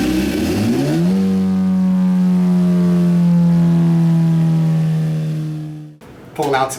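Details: 2017 Suzuki GSX-R1000 sportbike, ride-by-wire, after ECU flash adding 4.4 degrees ignition timing; test ride under varying load listening for knock. Revs up cleanly, holds smooth steady pull then cuts off, no pinging or rattle; normal running under load, no detonation.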